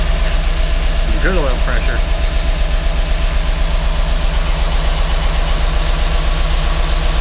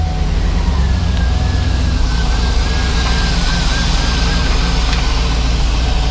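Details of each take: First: GMC Yukon Denali 6.2L LS V8 with DOD, first start after engine reassembly in cold weather with oil pressure present: quick, even ticking at about four per second over a rough idle; owner suspects unprimed hydraulic lifters. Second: GMC Yukon Denali 6.2L LS (DOD) after pulling heads and replacing lifters; steady even idle with no ticking or chatter from the top end, lifter noise gone: normal idle.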